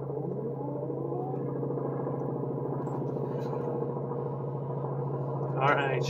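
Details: Never-fired 60-year-old Power Bee 82002 high-speed kart engine, new old stock, restarted the next day with fresh fuel and choke: a steady, high, even buzzing drone that holds its pitch without misses or stumbles; the little two-stroke runs cleanly.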